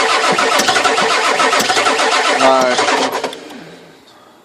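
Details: 1996 Ford 7.3 diesel no-start, given a little gas: steady starter churn about three beats a second for several seconds, never fires, then winds down; cranks but won't start.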